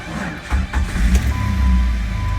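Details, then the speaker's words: Jeep WJ 4.0 starting and idling after new thermostat, hoses, serpentine belt, water pump, shroud, MAP, idle control and throttle position sensors; steady low rumble, even firing, no knocks, music over it; check-engine light on, low fuel, runs normal. "starts up and it runs pretty good. You can see the panel. Everything looks pretty normal."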